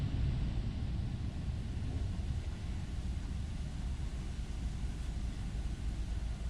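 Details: Project vehicle "Earl" cranked for the first time after months, with the starter relay wiring sorted. Steady, even low churning of the starter spinning the engine over without firing. Normal cranking.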